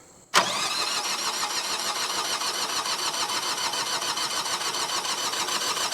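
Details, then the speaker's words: Generac diesel light plant bought cheap at auction, first start attempt with battery, fuel pump on and glow plug: even rapid cranking that never catches; air in the system, and fuel lines left loose after bleeding; diesel cranks but won't start. "We're going to have some air in the system, so it might not fire up right away, but I'm hoping that it catches up and bleeds itself."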